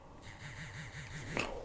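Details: Cheap Xiaomi phone unlock haptic: about six quick low throbs pulse over a second with a loose, rattly edge, then a click, a weak, cheap-feeling vibration motor buzz.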